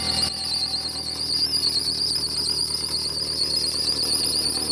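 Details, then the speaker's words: Mitsubishi Galant with an old battery at cold start: loud, steady high-pitched belt squeal with slight warble over a quiet idle, plus clanking from a broken catalytic converter; both fade as it reaches temperature. "so what you guys are hearing obviously is a squeaky belt that's fine"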